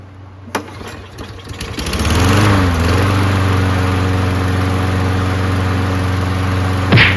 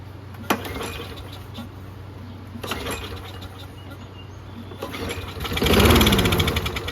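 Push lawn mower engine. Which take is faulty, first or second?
second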